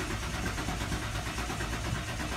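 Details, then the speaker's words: 1996 Ford Bronco crank no-start after driving to store; usual two-second fuel pump prime sound absent, relay and fuses checked okay: starter cranks in fast even pulses, engine never catches; fuel pump suspected bad. "typically when you turn your key in the ignition you'll hear like a little sound for about like two seconds and that's your fuel pump and for some reason mine's not making that sound anymore"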